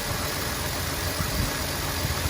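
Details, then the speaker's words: 2008 Jeep Wrangler JK 3.0, check engine light on, codes P0201 and P0301, running rough; idle with uneven lumps and stumbles about every second, cylinder one dead from open-circuit fuel injector. "so that's what it feels like when that injector goes"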